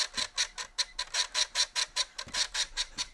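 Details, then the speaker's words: Mouldy, badly contaminated floppy disk from a Tenstar games pack squeaking in an Amiga drive; sharp high squeaks about five per second with each disk turn as it drags on the heads; disk cleaning under way. "I don't care as much about my a1200 drive as I do the one in the A500 that's one hell of a bad disc"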